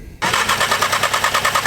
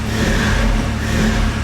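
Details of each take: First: Audi S3 (EA888) with a Stone valvetronic catback and eBay downpipe, after fuel line and water pump work: starter turns the engine with quick, even compression pulses, about eight a second, but it never fires. Cranks without starting, no spark; cause unconfirmed. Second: Audi S3 (EA888) with a Stone valvetronic catback exhaust, after reassembly: the engine cranks, catches and settles into an uneven idle with a couple of short revs. It runs again; whether the coolant holds is still unknown.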